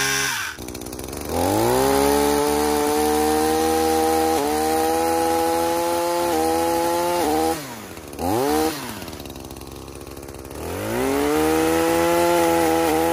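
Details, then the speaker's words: Echo PAS-2620 multi-tool with pole saw attachment and freshly tightened sharpened chain cutting branches: high steady buzz dips slightly as the blade bites then recovers; barely any bogging, healthy strong engine under load. "The PAS had, from what I saw, barely any bogging, and it was great. It powered through all of it and kept its speed up the entire way."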